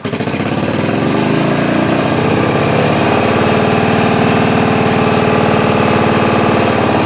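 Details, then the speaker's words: Yamaha TTR125 single-cylinder four-stroke dirt bike after a makeshift exhaust leak patch: idles fast and steady, well above normal idle speed; owner acknowledges the high idle, cause not diagnosed. "and yes I know it's I doing really high but it's just having car problems and I'm trying to fix it but I haven't had time man"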